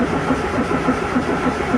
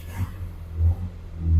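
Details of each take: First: Morris Minor after 12 months in storage, out of gear with the electric fuel pump running and the cold start lever at full: steady, even cranking at about 3.5 turns a second, stopping and restarting, but it never fires; cause unconfirmed. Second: Morris Minor after about 8 months unrun in storage, choke on: deep low rumble swelling in three rev blips and settling back, catching cleanly; engine runs fine.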